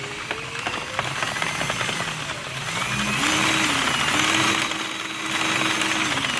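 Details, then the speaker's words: Drill-driven Loops & Threads Quick Knit machine with a 3D-printed PLA adapter on a half-inch hex shaft. The drill's whine rises and holds over a fast, steady needle clatter: normal running. Going too fast can cause missed stitches. "it's pretty quick for beats going out by hand this is for the nit quick one you go too fast though of course you know you're gonna we're gonna have some misses"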